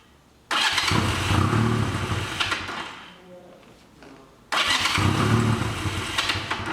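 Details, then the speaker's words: 1985 Honda Rebel with 2000 miles, first start after about 17 years stored, cold on choke, runs rough and uneven, won't rev, stalls and is restarted; clogged carburetor jets. "Okay, we're gonna let it run for a while because I can't even rev it now, but let it warm up and we'll see."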